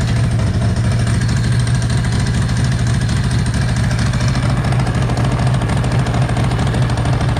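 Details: Ducati ST2 2V V-twin, Weber/Marelli 1.6M ECU, cold on fast idle lever during throttle body balancing; deep loping even thump after closing horizontal cylinder, earlier about 6 cmHg out of balance, now balanced.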